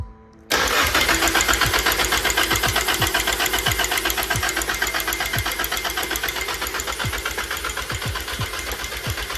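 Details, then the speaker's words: Nissan SR20DET JDM Silvia engine swapped into 240SX S13, cranking with valve cover off and gauge at zero oil pressure: steady cranking with sharp metallic slap each turn; timing chain slapping guide, no oil pressure to tensioner. "You can see the timing chain slapping that guide, and you can hear it as well. And that's because the timing chain is tensioned by oil pressure, and we are not building oil pressure."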